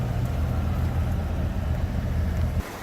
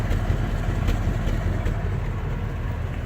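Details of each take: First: 1964 Chevrolet Corvette, 58,000 miles, long-sitting, jump-started on bad battery, cold with oil pressure 65-70 psi: steady even low idle rumble, no knocks or misses; engine sounds good, though it has a fuel leak. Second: 1964 Corvette V8, 58,000 miles, cold after long storage, jump-started, old-smelling fuel: deep lumpy V8 idle with uneven beat and occasional stumble; slight misfire at idle.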